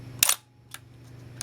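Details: Minolta SRT 200 35mm film camera body, shutter fired at 1/125 second: one crisp click with mirror slap and quick, clean return, no drag or hesitation; healthy shutter, mechanism working properly, good condition.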